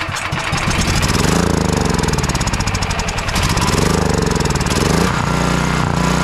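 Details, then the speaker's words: Champion dual-fuel 9375 generator that won't start and surges, spark and compression good, low-oil shutdown wire unplugged: catches then hunts, swelling and sagging; stays running only while carburetor cleaner is sprayed in, so a gummed carburetor. "So as long as I'm proceeding to spray carburetor cleaner in it, it stays running. That means we're having a carburetor issue here."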